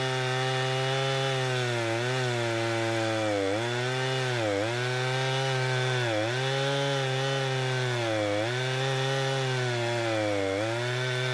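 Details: Husqvarna 455 Rancher chainsaw with about 4 hours total runtime, previously running rough after warm-up, now after ignition coil replacement: screams at high revs, pitch dipping evenly as it bites wood and recovering cleanly, no stumble; healthy.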